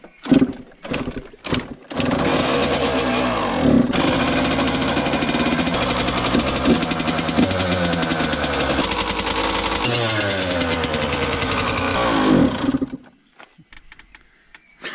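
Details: Yamaha YZ85 two-stroke after gear selector repair, fresh water and premium oil added: crisp crackle settling into a steady idle with a few clean throttle blips; engine runs evenly and sounds healthy.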